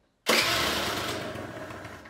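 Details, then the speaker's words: Two-stroke scooter during carburetor adjustment, idle screw backed fully out: catches with a sharp crackle, then fades and dies within two seconds as it cannot hold idle. Stalling idle. "und jetzt kommt dann kein gas gehört der roller geht aus"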